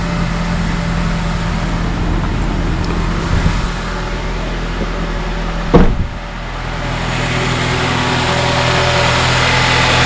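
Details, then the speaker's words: 2007 Honda Accord idling and the steering wheel turned on first start right after replacing the power steering pump and hoses: steady idle hum, one brief clunk, no belt screech or squeal; repair successful, normal. "No screeching from the belt. Sounds like this thing is fixed."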